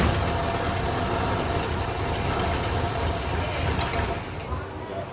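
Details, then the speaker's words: 1957 Chevy Bel Air first started after about 19 years sitting: rough idle for about four seconds, then the engine sags and stalls as the fuel system isn't pulling and the gas in the car runs out. Stalling from fuel starvation. "no this thing is not pulling so it's gonna turn off once it runs out of the gas inside the car"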